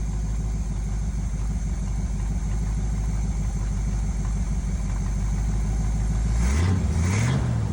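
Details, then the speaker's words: 1971 Chevy C10 V8, just started after sitting a long time, new spark plugs: even deep idle then clean rev rising and falling without stumbling; sounds really good, though small gas leak and slight smoking noted. "Well, she actually sounds really good. She actually sounds pretty good."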